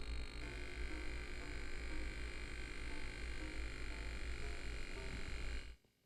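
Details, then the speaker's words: Vectrex console, not the trace-cut model: loud, constant low buzz at about 60 Hz with a gritty edge from power-on, leaking into the audio; a power issue is suspected, not confirmed. "now to my ears that sounds primarily at about 60 htz and I'm thinking um that there's probably some kind of power issue going off here uh or going on"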